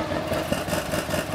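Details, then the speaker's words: Honda VFR 1200 at idle with the rear silencer's servo-driven exhaust flap valve sitting slightly open. A louder, hollow exhaust drone with a faint hum is heard. The fix is adjusting the flap cable length at the locknut, like a bicycle brake adjuster. "Donc en fait, si lorsque vous êtes au ralenti comme ceci, si vous entendez ce bruit-là, eh bien vous pouvez venir jouer sur le réglage ici."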